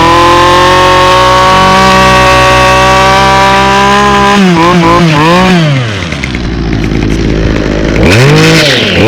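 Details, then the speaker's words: 2011 Toro 25cc two-stroke string trimmer, fogged over winter, starting up: high buzzing revs in uneven surges with a ragged rattly edge at speed caused by a bad trimmer head. "um it has a bad trimmer head so that's why it kind of sounds like that"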